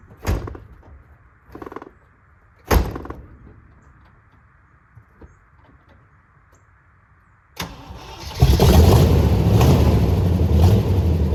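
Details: 1979 Jeep J20 with its V8 and dual exhaust, sat a year, title cites low compression: after starter bursts it catches and runs rough and chuggy with a bad miss on revving, weak middle cylinders suspected.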